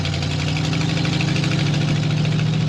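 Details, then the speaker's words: 1932 Ford Delivery street rod cruising with the windows up: a deep, even exhaust drone with a steady low throb, not too annoying, no knocks; some rattling from the back hatch door is noted; the engine is healthy. "But we have all our windows up and this is what she sounds like. It's not not too annoying. It's not crazy, but it is fun."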